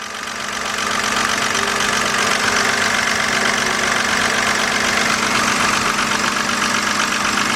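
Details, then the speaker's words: 2007 BMW 328xi, customer complaint of engine noise, loud tapping at start-up then fading; at idle light even tapping about two to three per second from top of engine, engine ticking; lifters suspected, cause unconfirmed. "What we're hearing right now sounds like a little tapping coming from the top. Gotta find out whether it's the lifters or something. Oh, it's loud over here."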